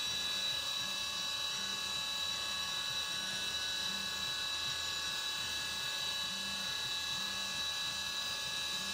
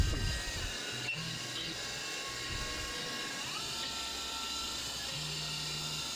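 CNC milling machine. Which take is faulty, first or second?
second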